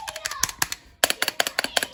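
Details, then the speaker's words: Drop ALT keyboard with stock stabilizers, unplugged, before modding: rapid key clacks with a faint metallic ring, stabilizer wire pinging especially on the spacebar, before Zeal stabilizer swap. "we can hear a little bit of pinging noise in there right especially on the space bar"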